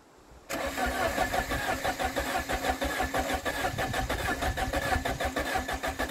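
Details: 1993 Saab 9000 CD, first start after sitting about a year, new battery fitted: cranks and catches, then a raw, loud, popping idle with uneven pulses because the exhaust is removed.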